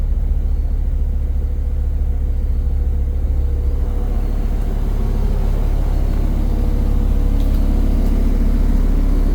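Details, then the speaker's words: Dodge V10 dually after throttle body cleaning and a new air filter, once warmed from startup: a deep, even idle rumble and a smooth rev with no stumble; the earlier misfire is gone and it runs normally. "Oh yeah, that sounded a lot better. Lots better. Much more better."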